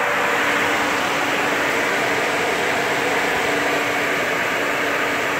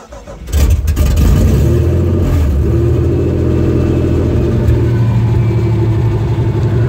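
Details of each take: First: 1992 Nissan Pathfinder supercharged pickup idling: loud steady hiss and rushing noise with a constant low whine; power steering pump sounds like it is failing, cause not yet known. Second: 1992 Nissan Pathfinder with supercharged VG engine: cranks briefly, fires cleanly, revs up crisply and drops back to a steady, even idle without stumbling; sounds well tuned, though the power steering pump is suspected failing.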